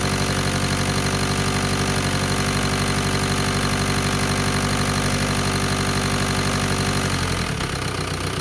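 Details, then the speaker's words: 2003 VW Golf TDI, first start after repair and reassembly: harsh, uneven diesel clatter at idle, about four pulses a second with a shaky beat. Starts fairly well but runs rough; owner plans to adjust injection timing with a scan tool. Cause unconfirmed. "I can adjust the injection timing because it definitely sounds like it's running either no it starts pretty decent"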